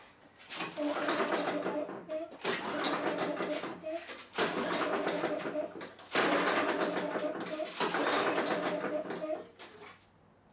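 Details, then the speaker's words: Craftsman 190cc self-propelled mower, reportedly run out of oil: repeated pull-cord cranks, engine spinning freely with no compression pulses, compression tested at 0; the tester, not a mechanic, believes the motor is blown. "Looks like when she ran it out of oil, she blew the motor because I've got no compression."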